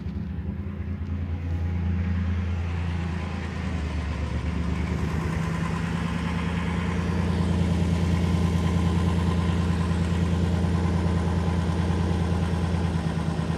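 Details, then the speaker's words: 2007 Dodge Caravan 3.3 V6, P0202/P0302, running at low idle: steady throbbing stumble about twice a second, lumpy as cylinder 2 drops out; injector control side has power but PCM not energizing injector, PCM suspected bad. "so we we are getting power here on the control side but PCM is just not energizing the the fuel injector"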